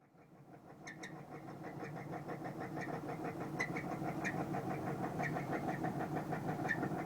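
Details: 1997 Camaro with a 3800 engine and a bad motor: steady, fairly even deep knock about three per second over the idle with sharp ticks on top; engine knock, cause unknown.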